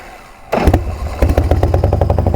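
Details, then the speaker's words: Carbureted V-twin motorcycle cold-started with the key on choke. Short starter whir, then it catches with a thump and settles into an uneven, loping beat; a fine cold start. "Yeah. All right, sounds good. Nothing to replicate the sound of a carbureted bike, man."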